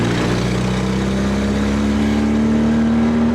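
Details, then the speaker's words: Nissan 240sx; engine note climbs steadily under throttle with a raspy, hollow edge, an exhaust leak the owner plans to fix with a new exhaust; overheating issue thought fixed. "That exhaust leak has to go."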